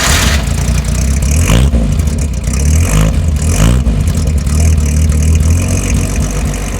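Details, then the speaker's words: Classic car during pre-purchase inspection, just started: catches, revs briefly, then settles into a steady, fairly smooth idle with no knocks or ticks; fuel filter clean; belts squeak slightly, said to be typical. Normal idle. "motor Riedel is pretty smooth they're not all gonna idle perfect no real dilute net noises or ticks snacks belts belts got a little bit of squeak but they all do a little"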